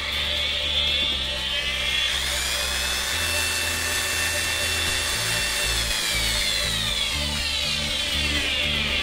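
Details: DeWalt DW801 angle grinder after armature bearing replacement (was jammed, would not turn): high, steady motor whine at an even pitch with no rasp or grinding; runs smoothly.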